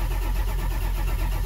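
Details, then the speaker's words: Ford van with 7.3 Powerstroke diesel, long-sitting: heavy, steady cranking pulses without firing; main oil pressure rises but injection control pressure only about 10 psi versus roughly 500 needed, regulator at 65%; owner suspects low injection pressure prevents start. "there the main oil pressure came up but the injection pressure it's only like 10 psi"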